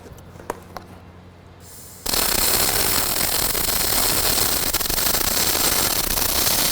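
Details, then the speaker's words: Fronius Fortis 270 in full manual mode, MIG welding quarter-inch steel with .035 wire at about 21–22 V (app suggests 180–190 A). The arc strikes and holds a steady, even frying crackle: normal short-circuit MIG, like an older welder. "It even sounds like an older welder. >> Yeah, >> but it's doing it."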